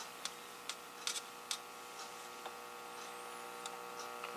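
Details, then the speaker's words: 1961 General Electric T-100A AM tube radio (AA5) on a variac at about 60 volts, volume fully down, before capacitor replacement: steady buzzy mains hum with stray clicks; dried-out ripple filter capacitors, to be replaced with new electrolytics. "Starting to hear hum. Bad filter caps for sure."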